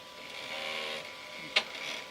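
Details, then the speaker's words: Flying Bear P902 3D printer stepper motor during driver potentiometer adjustment, current set too strong: steady high motor whine with a sharp click partway through; stepper clicking from excessive driver current, fixed by turning the potentiometer back. "it starting to click you hear that click so that's bad they don't want they don't like that"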